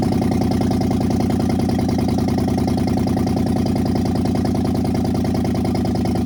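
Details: 2015 Dodge Charger Pursuit 5.7 V8, wrecked rebuild after fitting coil packs and spark plugs, with misfire codes: steady low idle rumble with an uneven, lumpy pulse, missing on a cylinder; engine misfire.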